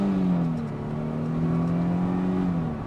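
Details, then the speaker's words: Mercedes SLK on first test drive after blown fuse and leaky Jubilee clip fix, roof up: deep even engine note climbing as it pulls hard, no knocks or rattles. Healthy engine under acceleration. "That goes nicely. Wow, that is actually pretty rapid. Oh, this thing drives nicely."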